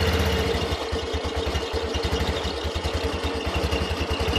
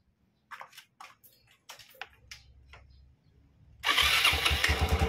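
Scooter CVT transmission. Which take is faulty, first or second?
first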